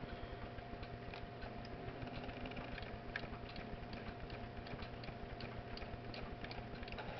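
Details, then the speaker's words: TRS-80 pocket computer printer/plotter, repaired with a replacement pinion and restrung: quick light ticks and gear chatter about twice a second, steady and unlabored; normal startup routine. "i'll start it up and the printer should run its startup routine let me turn on my power supply"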